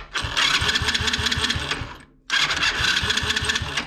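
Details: Alpha 110 quad engine after starter chain replacement and overrunning clutch repair, which had caused a crackle at startup. Two clean starter runs with even rhythmic chugging and no crackle or grinding between pulses; the starter engages normally.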